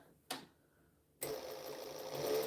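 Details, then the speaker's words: Sewing machine after two drops of oil on the bobbin case: a click, then a smooth, even whir with no clatter; it is noticeably quieter than before oiling. "see how this can you hear the difference in sound now that i put two drops of oil on it i can insane"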